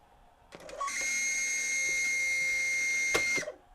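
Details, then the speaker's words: 1996 Sony CFS-B11 boombox, press play with tape loaded: click then steady high-pitched squeal from the cassette capstan motor, its bushing running dry; fixed by belt replacement and motor lube. "That doesn't sound good. I'm going to say the motor is squealing, if I had to guess."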